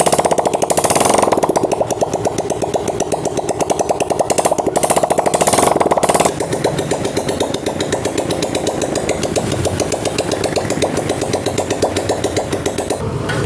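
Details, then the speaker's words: Honda CG125 motorcycle after head/top-end repair: rapid, even single-cylinder firing settling into a steady idle, no knocks or rattles, holding well at low idle; engine noise fixed, normal idle. "बिल्कुल बेहतरीन बन चुकी है mic slow में भी अच्छा रुक रहा है और साउंड काफी बेहतरीन है"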